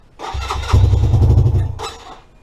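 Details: 2017 Lexmoto Adrenaline fuel-injected motorcycle after a crash, new fuel pump and lambda sensor, good spark and clearances: cranks, catches about a second with lumpy uneven beat, then dies; faulty engine temperature sensor reads very high temperature, forcing lean start.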